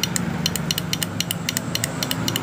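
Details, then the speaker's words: Yamaha Jupiter MX with a new battery, key on and starter button pressed: rapid clicking about seven a second with no cranking; suspected dead starter motor or starter relay/bendix, not confirmed. "bunyi cetek-cetek tapi tidak bisa nyala starternya atau tidak berfungsi sama sekali"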